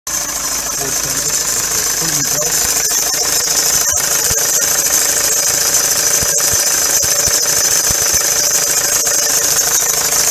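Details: Ford Transit van idling: constant high-pitched hiss and squeal from a noisy serpentine (fan) belt, common when a replacement water pump or pulley is fitted with an old belt; fixed by replacing the belt.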